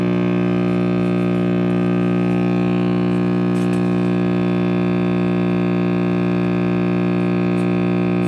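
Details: RCA Victor X551 vintage radio after restoration and power cord rewiring: loud constant low droning buzzy mains hum; owner suspects the last-soldered filter capacitor.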